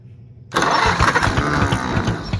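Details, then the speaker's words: Oliver 70 tractor being revived: cranks, then catches into an uneven, lumpy run with irregular thumps at full throttle, apparently firing on only about two cylinders. The engine itself doesn't sound bad when running. "sounds like it's only trying to hit on like two but has all the throttle"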